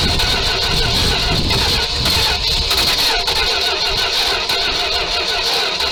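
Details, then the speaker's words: 1978 Dodge D200 crew cab, 318 V8, abandoned 17 years, first start on gas with ether: runs rough and loud with irregular sharp exhaust pops; backfiring like crazy, owner unsure if timing, suspects carb needs work. "Well, she's gonna run, but she's backfiring like crazy"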